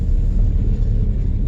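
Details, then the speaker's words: 2001 Audi TT at about 104,000 miles in a slow tight right turn, after a Haldex oil and filter change fixed a grinding noise. Smooth low rumble with no grinding, binding or chatter; normal AWD driveline. "quiet silent just turning turning a [ __ ] car like it's supposed to sound all right going forward our first year turning right"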